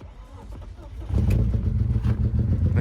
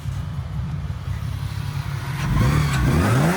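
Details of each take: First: BMW E36 on second start attempt, before repair: runs lumpy and uneven with an irregular low stumble, barely running due to blown head gasket between cylinders 5 and 6. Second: BMW E36 after head gasket replacement: revs climb smoothly through a couple of blips and settle back, even and steady with no knock or ticking; sounds completely different from before, healthy.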